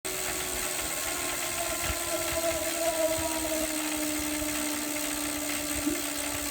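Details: Hammer (Saris) H2 turbo trainer after only 6 months of use: it whirs with a slowly falling tone under a loud, rough rattle from inside the unit.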